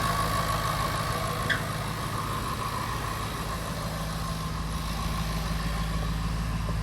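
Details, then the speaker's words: 2010 Jaguar XFR idling after repair with new spark plugs, fuel injectors and fresh oil; initial exhaust smoke clearing, no check engine light. Steady, even idle with a smooth low drone, no misses or ticks; repaired and running well. "okay as you saw in the short clip the car is repaired it's running well"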